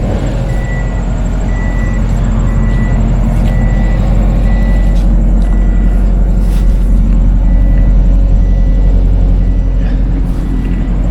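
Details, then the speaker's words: Subaru Baja long dormant, second start after new coils and plugs, with coolant added and alternator belt connected; starts right up and settles to a steady, smooth idle without knocks or misses; periodic high beep in the background. "Second start with coolant in and the belt connected for the alternator. Wow, dude. Wow. started right up. Holy crap."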